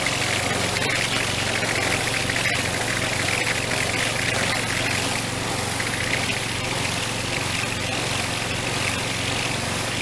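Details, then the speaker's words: Troy Bilt string trimmer, test run after the carburetor was cleaned and before full reassembly: loud steady buzz with no surging, stumbling or misfire. Engine runs cleanly, though the primer bulb doesn't seem to be priming. "So the carburetor works. Whoops. And the engine sounds good."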